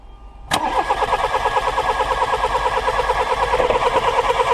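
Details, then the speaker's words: Old VW Polo 1.4 petrol no-start, ignition coil unplugged for spark test: steady cranking at about three beats a second, never catches, no arc produced; failed ignition coil found, to be replaced with a scrapyard coil. "Ok, ben nous avons trouvé notre panne. La bobine à remplacer."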